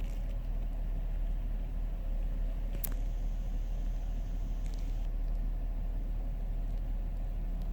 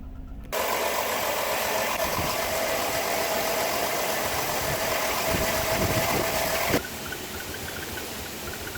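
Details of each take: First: 2005 Chrysler Town & Country after replacing worn spark plugs that caused cylinder misfire: steady even low idle rumble, no stumbles. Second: 2005 Chrysler Town & Country at idle: uneven, chuffing, shaky idle with a squeaky exhaust; a cylinder-specific misfire code.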